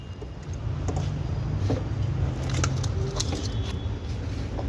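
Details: Skoda petrol engine after repair of a P0301 cylinder 1 misfire: low, steady, even idle hum with no stumble. Oil from a leaking seal had filled the plug well, and cleaning it cured the misfire.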